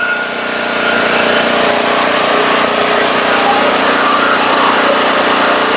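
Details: Firman 3650 W (4550 W surge) yard-sale generator with old gas, carburetor getting fuel, pull-started on choke: it catches and holds a high, steady buzz with no surging. Running normally.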